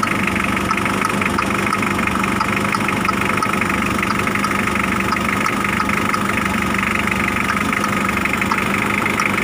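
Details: Mitsubishi L300 diesel idling: a faint light click about once a second over the clatter. The faulty glow plug relay is chattering "klik-klok" with the engine running, keeping the glow plugs on so the engine heats up fast.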